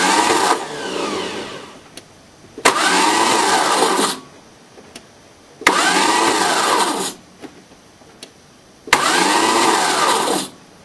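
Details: 1981 VW diesel pickup jumped from a Chevy diesel with 2000-amp batteries, four-month-old Napa starter: four cranking bursts of about 1.5 seconds each, no firing. Solenoid cold afterwards. Cause unknown.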